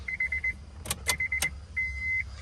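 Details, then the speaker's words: 2002 Acura RSX base, K20A3, auto-to-manual engine harness swap, key-on: sharp, irregular relay clicks over a steady warning chime, with no fuel pump hum. No ECU power and no fuel pump; relays chattering from a missing ground. "i know one is for also for the um for the gas pump they were making some weird now they were making some weirdness bro"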